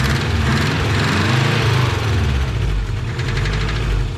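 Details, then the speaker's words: Subaru Brat engine of unknown history with a blown head gasket: rough, uneven low chatter over idle at about two knocks per second, suspected rod knock. "that sounds like a nod rocket to me yeah yeah she's chattering away"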